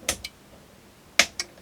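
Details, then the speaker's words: Generic electric pressure pump controller on the bench, pump disconnected: two crisp pairs of clicks about a second apart as the relay pulls in and drops out cleanly; controller switching, so no run would point to the pump. "and click off again so if your unit's clicking like that then and it still doesn't run that's something to do with the pump"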